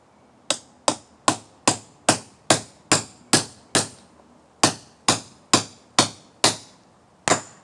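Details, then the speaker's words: Trailer hub bearing race being hammered in with a driver, hub on wood: sharp blows about two a second, strikes ringing harder and brighter once the race bottoms out, showing it is fully seated against the lip. "Now you hear that sound? That means I'm bottomed out. That's how you know you're at the bottom."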